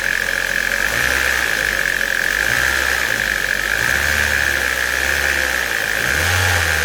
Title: Ford Mondeo 1.8 benzină strange noise